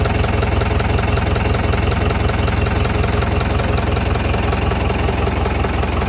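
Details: Tata 709 non-turbo diesel, first start after overhaul: even diesel clatter at a steady, regular idle of about 160 beats a minute with no misses or odd knocks. Normal idle.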